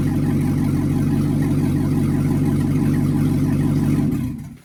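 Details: C6 Corvette with a newer LS2 V8 swapped in, right after first start, no coolant yet: deep, even burble at a steady fast idle with no knocks or misses before shutdown; oil pressure good, normal idle.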